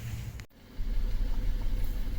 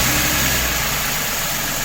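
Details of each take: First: 2016 Ford F-150 3.5 naturally aspirated (non-EcoBoost) V6 at idle, low rumble pulsing unevenly with occasional dead beats from a cylinder 3 misfire, code P0303. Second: 2016 Ford F-150 3.5 naturally aspirated (non-EcoBoost) after replacing the ignition coil for a cylinder 3 misfire (P0303): smooth, even idle with a steady hum and no stumble; check-engine light gone, running clean on all cylinders.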